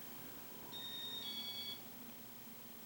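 Two short high beeps in quick succession over a quiet room hum, the fan receiver acknowledging a speed-down press.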